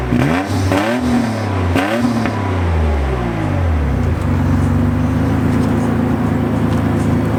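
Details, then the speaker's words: 1987 Nissan 300ZX with a presumably factory exhaust, heard at the exhaust; two quick blips rise and fall cleanly, then a steady even idle with a deep throaty note, nothing abnormal. "Doesn't sound too bad. It's got that throaty kind of exhaust sound to it. Maybe that's the sound of a factory exhaust on an 87 Nissan 300ZX."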